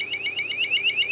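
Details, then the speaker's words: Cheap mini security keypad alarm during teardown, sounder not screwed down. Thin, high warbling alarm sweeping about ten times a second but faint; weak alarm sounder, cause unconfirmed. "here's the sound and that's going to be our problem because that isn't screwed down which is the electric chakra must be like a high-powered thing I don't know why it's quiet"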